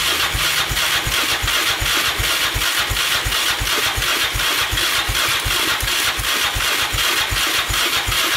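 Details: 2002 Yamaha Raptor 660 after timing chain and bent valve replacement, choked, first start attempt: even unhurried cranking about three beats a second, never catches; not spun fast enough to fire.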